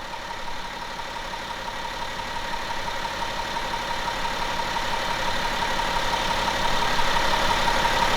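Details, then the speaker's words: 2011 BMW X5 35d M57N2 diesel at 130k miles after timing chain repair, fully reassembled, near operating temperature, no fault codes, heard under the hood: a smooth, even idle with a faint constant tone, slowly getting louder; the engine runs smooth. "Let me show you under the hood. And it's running smooth in my opinion."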